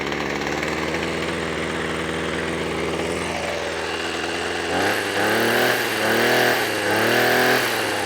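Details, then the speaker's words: Two-stroke strimmer that wouldn't start because its old fuel was suspected contaminated; now on fresh fuel after choke and primer, it smokes, ticks over evenly and picks up cleanly through four quick throttle blips, running well. "So there's something in that fuel. It wasn't Aspin. So I've got it running quite fast at the moment, burn some of that off. And it runs really well."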